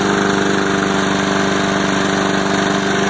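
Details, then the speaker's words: Mower engine after homemade carburetor repair with reshaped venturi plug, no official parts; small single-cylinder chugs evenly and quickly, a touch above idle, no hunting or surging; holds a steady fast idle. "it's holding up pretty good it's staying right at the city a little bit higher than idle but it's holding it"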